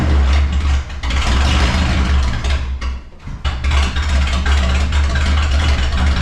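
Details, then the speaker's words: Vehicle started after sitting about one to two months, open exhaust with no mufflers: loud, deep rumble that dips briefly then settles into a strong, even idle; running fine, just unmuffled. "So I got open pipe. It's got no mufflers right now, so she might be loud."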